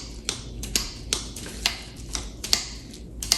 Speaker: there we go it swings from all the way close to all the way open you can hear it clicking on both sides